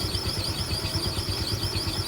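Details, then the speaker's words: Yamaha Mio scooter at idle, CVT noise before disassembly: fast, high "cip cip" chirping squeak over the steady idle from inside the CVT belt transmission; owner suspects rubbing of a rubber part, not confirmed. "gesekan kayaknya sih karet pendelnya ini. Suaranya cip cip cip cip cip cip cip cip cip cip."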